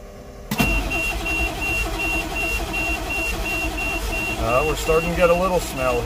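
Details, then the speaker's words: 1988 GMC 7000 with naturally aspirated 8.2L Detroit diesel that died while driving; fuel filters changed, no smoke: starter cranks steadily, about three turns a second, with a whine on top, but never catches; crank no start. "come on baby she's not happy"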